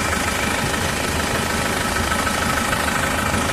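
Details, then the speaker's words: Diesel pickup (Isuzu Traviz or Toyota Revo) idling with the oil cap off after the owner feared blow-by: a steady, even clatter with no irregular knocks, only normal engine vibration. "Ano lang yan vibrate lang ng ano eh makina umaandar eh. >> Oo. Natural yun."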